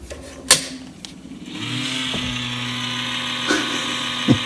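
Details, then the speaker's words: Showtec 1W RGB LED PAR64 long nose fixture, about 12 years old, used daily: internal cooling fan failing, loud steady low growl with harsh hiss, audible around the venue; fan replacement needed. "or the fan in the light just died spectacularly and it was making one hell of a growl"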